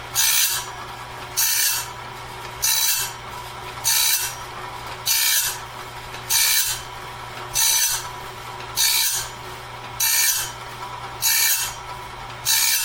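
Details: Clarke heavy-duty sawmill blade sharpener at medium speed, sharpening a 2-inch-wide, 223-inch bandsaw blade; bright rasping grind bursts repeating evenly about 49 a minute, each tooth taking a steady pass, a healthy normal grind leaving the blade fully sharpened.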